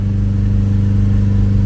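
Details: Garden-find Ford Capri revived after sitting, heard from the rear: an even, steady exhaust note with a strong low rumble, no misses or knocks, little smoke, running really well. Healthy engine revving.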